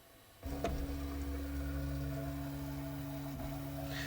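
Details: Prusa Mk3/Mk3s FDM 3D printer during maintenance, X-axis being checked after cleaning dust from the fan: steady low motor hum with an even tone, no grinding or skipping; normal, smooth axis movement.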